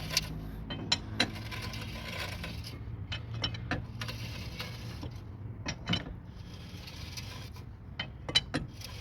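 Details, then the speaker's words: 2002 Honda CR-V 2.4L AWD, wheel turning/driving: irregular metallic scrapes and ticks repeating with wheel rotation, from rust and debris trapped between the rusted dust (heat) shield and rotor, not the brake. "That's not the brake though, it's this one. Here you can take a look. You see this all rusted and very bad here, and there is the rust all over there between the heat protection and the router."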